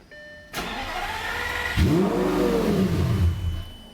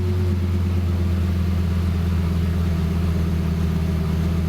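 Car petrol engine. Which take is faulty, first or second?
first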